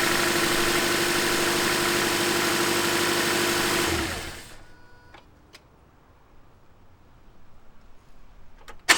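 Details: 2010 Toyota Corolla, cold start: a harsh metallic rattle over the engine for a few seconds, then the engine cuts off; the VVTi sprocket needs replacing, and the noise stops once oil circulates and is absent on a second start.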